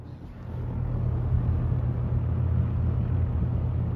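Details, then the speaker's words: Restored circa-1977 Superlectric 2083 fan running up to speed and holding: a deep, low-pitched hum with a faint buzz; the meter reads 2.8 amps, which is doubted. The owner suspects a dry motor whose oil needs to settle; not confirmed. "I think it's just the motor is dry and it makes a weird sound it makes me think it's buzzing but it's not"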